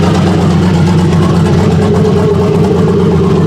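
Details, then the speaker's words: Chevrolet Silverado single cab turbo V8 after new custom exhaust, first listen: smooth, even low idle rumble with no ticks, leaks or rattles; very quiet, a huge difference. "it's a huge difference dude it's so quiet"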